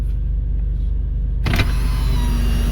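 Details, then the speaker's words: 2002 Toyota Land Cruiser Prado power windows: a low rumble, then a clunk and a smooth, even motor whine as the glass travels; the front right, front left and rear right windows work normally. "front right. That's working. Front left. That's working. And then the rear right is working."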